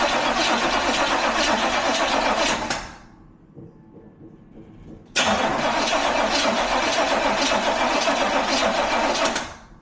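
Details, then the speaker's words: 1985 IROC clone, sat 18 years in a barn, after relay work and fuel tank dropped twice: steady starter cranking, pause, more cranking, never starts; battery seemed weak though reading 12 volts, fuel pump doesn't sound good. "Now it's acting like our battery's a little weak and our fuel pump doesn't sound the greatest."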